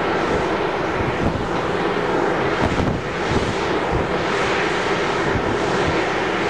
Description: Little Raith Wind Farm (9x410ft Turbines), noise pollution recorded from one of the turbines. All 9 turbines are producing a range of noise, but this particular turbine is noisier than the rest.